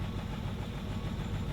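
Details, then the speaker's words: 2002 Hyundai Sonata V6 at idle, not running hot: deep exhaust rumble with an uneven, lumpy beat instead of a smooth hum; misfire suspected. "when the car has that lumping sound that means it's misfiring"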